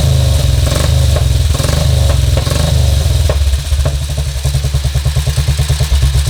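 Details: 1952 BSA M21 single with ignition timing set at 28: steady, low thumping idle with an even beat around three per second, settling smoother toward the end. Normal idle, much smoother than at 36; carb mixture screw not yet checked.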